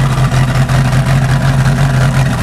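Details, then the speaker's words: Chevy 305 with OMC King Cobra drive in a 1988 Crestliner 25 ft boat, first start in years, steaming a lot, with good oil pressure. A deep idle with an uneven lope and periodic dips. "it sure does steam a lot I mean it's not awful not great sounds all right though all things considered"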